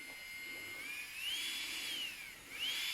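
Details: Strong 120II nail drill handpiece after repair with new bearings and carbon brushes (worn brushes and bad bearings caused rattling): clean high-pitched whine rising and falling smoothly with speed; normal running.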